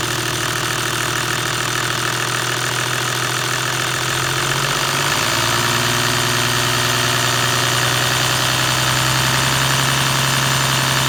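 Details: Toyota 1HD-FT diesel at idle: a steady metallic rattle over the normal clatter that carries on as revs rise midway. The source is not pinned down; timing gear or injection pump is suspected, not confirmed.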